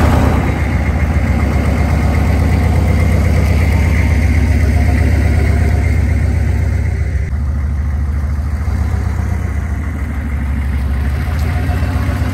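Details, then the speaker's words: 2000 Chevrolet C3500 4x4 turbo diesel repo truck after standing, revs brought down from turbo spool to idle: steady, firm, even clatter with no knock; healthy normal idle. "the turbo's spooling nicely let me turn it down there so you guys can hear it"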